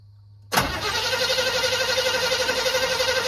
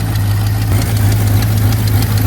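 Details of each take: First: 1985 Chevy C20 that sat over 10 years, cranking after throttle pumping. Steady, even cranking at about four turns a second for ten seconds, but it never fires. The owner suspects it is flooded: crank, no start. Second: 1985 Chevy C20 square body V8 after sitting over 10 years, first start with choke: steady, even low rumble at idle with no misses, knocks or ticks; sounds healthy, no smoke, but a fuel leak found afterward.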